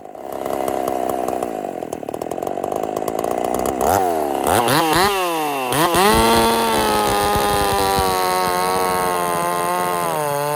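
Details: Husqvarna 50 Partner 5000 hybrid race chainsaw, first cuts after rebuild with modifications (tapered piston machined); revs up, pitch dips and recovers as it bites oversized wood for the bar, then holds a strong even scream; running healthy.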